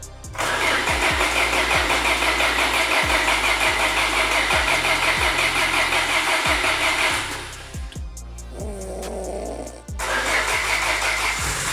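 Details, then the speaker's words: 1990s Peugeot hot hatch first start after resealing sump with silicone, new oil filter, refilled oil and gearbox oil, driveshafts refitted: catches into an even, steady idle, no knocks or misses; oil leak off back of block fixed. "Oh! Yes! Oh, yes! The Peugeot lives to see another day."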